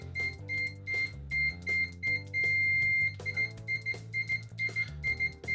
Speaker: not the fastest definitely misses every other latch but it is loud latched i think really doable